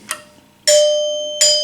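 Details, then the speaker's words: 1974 Gottlieb Magnetron EM pinball three-chime unit after rebuild and adjustment: two clean bell tones, struck crisply, ringing long and even with no dull clack; chimes working properly. "Look at that. There we go. Just like playing the bells in middle school band. See, they got that sustain to them."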